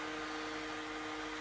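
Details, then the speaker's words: HP 625 laptop, which also has an intermittent charging-port connection: a thin, steady whine over a soft airy hiss of constant pitch. The fan sounds abnormal and the cause is not yet found. "okay I already hear the funny noise ah yes we have a funny"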